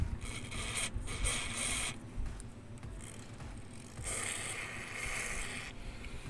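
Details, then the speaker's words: Car door after lubricating hinges with Rexco 50: door swings open and shut with soft clicks and rustle, no squeak, much lighter to move. "ini nih kalau misalkan udah dikasih ini Jadi lebih enteng guys Ini kalau misalkan kita buka tutup nih jauh lebih enteng"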